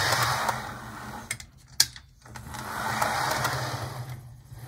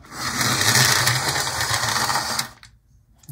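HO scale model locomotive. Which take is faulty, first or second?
second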